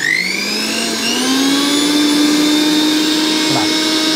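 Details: Sujata mixer after replacing both carbon brushes: even high motor whine climbing as it spins up, then holding steady with no rattle or sparking crackle; motor runs healthy again after repair.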